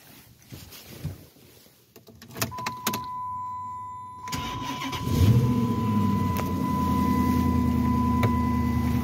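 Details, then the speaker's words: 2006 Chrysler 300 after serpentine belt drive work, started the next cold morning, engine cover on, after the owner's complaint of loud belt squeal on cold startups: brief crank, steady even idle, no belt squeal; normal cold start and idle. "So far, so good. I'm not hearing anything. Sounds good to me."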